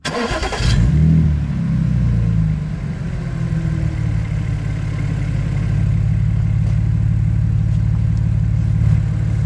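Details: Audi S4 after exhaust modification, clamp refitted straight to cure a leak: quick start with brief flare then smooth even idle, no puffing or ticking from the exhaust; normal start and idle.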